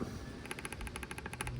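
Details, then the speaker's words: Removed failed brake booster from a 3rd-gen Toyota 4Runner; pushrod spindle rocked by hand gives a quick run of light sharp clicks, showing excessive play compared with the firm new booster. "I'm sure you can hear that noise, but that spindle definitely has a lot of play to it."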